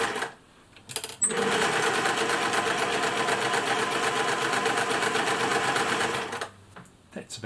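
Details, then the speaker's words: 1950s Singer 401A sewing machine after refreshing it with parts from a donor machine: a steady stitching rhythm about four per second, fairly even but a touch rough, with bobbin tension probably a bit tight. Acceptable, not the smoothest. "it sounds okay wouldn't say it's the smoothest machine i've ever heard"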